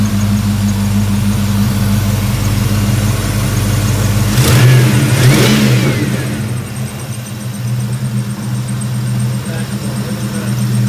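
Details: 1995 Ford Mustang GT (Cobra) after new spark plugs, wires and idler pulley: steady deep idle with an even low hum, a brief throttle blip, then smooth again with no misses or ticks; some grease on the belt.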